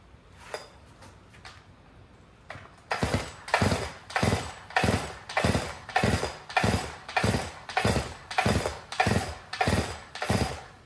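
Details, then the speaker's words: Stihl MS 362 chainsaw, about 7 years of hard use, brought in hard to start and low on power, tested unchanged outdoors in cold wet weather: about ten starter-cord pulls, engine never catches, gas smell; no start. "I can smell gas definitely doesn't want start"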